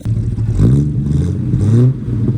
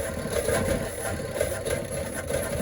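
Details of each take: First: 1972 Chevrolet Constantia (Holden), earlier popping and banging; after swapping the firing order, thought to be wrong since the distributor was replaced, a steady drone pulls evenly through the revs with no pops: smooth running on the test drive. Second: 1972 Chevrolet Constantia (Holden) running rough: wavering, stumbling, lumpy idle instead of a steady hum.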